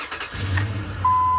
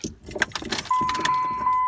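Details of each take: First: 2003 Dodge Ram 1500 5.7 Hemi after adding a little gas to its empty tank: a brief crank catches immediately into a steady V8 idle with a chime tone over it; normal start. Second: 2003 Dodge Ram 1500 5.7 Hemi that died after a stop, fuel tank found empty: over a warning chime it catches for about two seconds, runs rough, then shuts off; fuel starvation.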